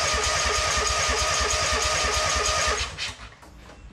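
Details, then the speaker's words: 2003 Wright Stander mower, 23 hp Kawasaki engine, cranking to check fuel reaching the filter; none did. Even starter cranking about three beats a second, never firing: crank, no start from no fuel delivery. "Was turning it over here just to see if the fuel was going into the fuel filter or if it wasn't, and it was not."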